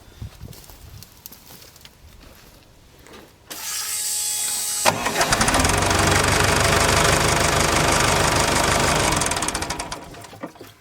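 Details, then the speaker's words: ASV PT-100 compact track loader diesel after the fuel lift pump replacement, restarted without glow plugs: a short crank, then it catches and settles into an even, steady idle. Normal start. "you yes she does that's perfect all right guys well we got bass back up and running"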